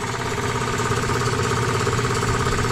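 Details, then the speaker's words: Free scrap twin-cylinder electric air compressor, made in China, at the moment it first starts after revival: even, fast pumping thump and smooth drone, no knocks or squeals. Nice and quiet. "Oh! That's exactly nice and quiet."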